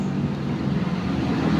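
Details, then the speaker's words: Scooter with a racing cam that gave good acceleration and top speed but a busy, clattery mechanical valve-train noise that stayed after a rebore; the cam was swapped for a standard one. "ternyata belatu kolernya terlalu ekstrm akelerasiag bagus top sit bagus cuman suaranya [Musik] berisi diganti dengan yang standar normal sekarang"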